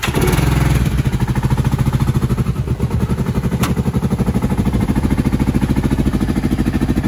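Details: 2010 Kawasaki Brute Force 750 ATV at idle: lumpy, uneven loping thump with one pulse repeatedly dropping out; one cylinder dead.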